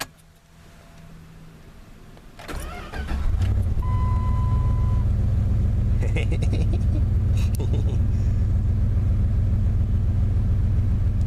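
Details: Dodge Ram V8 (3.9/5.2/5.9L) retrofitted with a vintage low-speed Mopar starter gives about a second of slow, even cranking whir, then catches and settles to a steady idle; normal cranking and start.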